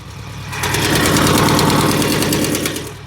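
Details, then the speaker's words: Ferrari 308 idling after a drive: quick, fairly even tick about four per second over the engine; exhaust blow suspected, manifold nuts at rear head near cylinder 4 found loose, tightening did not fully cure it. "is morning and I've got some extra ticking sounds which I started to worry about. But now I think it might be a bit of a pop in the exhaust."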